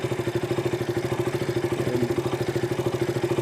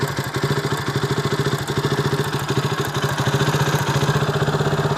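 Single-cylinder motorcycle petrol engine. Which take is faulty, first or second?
second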